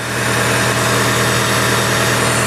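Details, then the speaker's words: Nissan S14 Silvia after new engine and new power steering pump with Valvoline fluid, first startup, bleeding steering lock to lock: smooth, even idle, no whine or groan from the very quiet pump. "oh listen to that thing just working that's like the quietest best working power steering pum"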